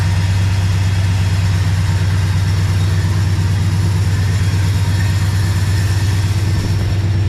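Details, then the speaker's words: 1972 Ford F-100 idling after exhaust gasket replacement; high idle has kicked down, deep even burble through glass pack exhaust, running smoothly with no exhaust tick anymore. "no it kicked down i think yeah it's just running super smooth and no exhaust tick anymore"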